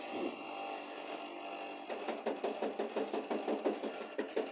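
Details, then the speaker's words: Air conditioner with a warranty issue: quick regular ticking rattle about three a second over steady fan hum, a refrigerant pipe rubbing against sheet metal inside the unit. "Está rozando un caño está rozando ahí adentro."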